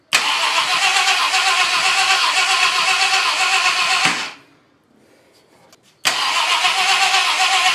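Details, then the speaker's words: 1966 Ford Country Sedan 390 FE big block after cam install, oil pressure present, idle mixture screw turned up: cranks evenly about four per second but never starts; spark confirmed, low compression found, valves probably too tight; crank no start. "This should be getting spark. Okay, we are getting spark. What am I missing here?"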